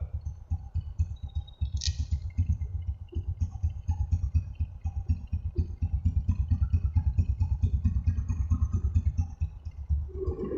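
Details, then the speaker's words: Honda Supra X125 brought in for a rough engine noise, with fresh oil, after repair while the oil pump is checked: even, steady low thump at idle with no knocking or top-end rattle; normal idle. "oke suara mesinnya sip sip sip"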